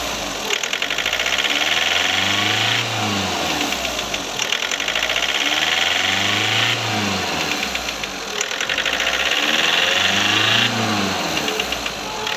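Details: Skoda Rapid diesel after injector replacement: slow repeating rev rise and fall about every four seconds with clatter over it during the automatic injector adaptation, accessories off; normal.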